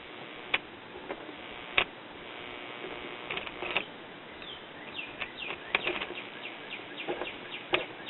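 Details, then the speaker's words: 1930s Belmont 110 VDC tube radio chassis, brought up slowly to about 90–110 V on a long-wire antenna. Hiss with irregular popping and no station received. Next steps planned: clean the volume control and the tuning condenser. "no station is just a bunch of a bunch of popping and carrying on"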